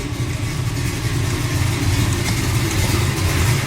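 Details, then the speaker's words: 350 V8 in an SS at first start, with the valve adjustment in doubt. It idles with an uneven, stumbling, wavering beat, no smoke; the owner says it doesn't sound good, cause not pinned down. "See, she don't sound too good."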